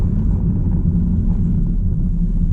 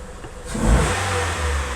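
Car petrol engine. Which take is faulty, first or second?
first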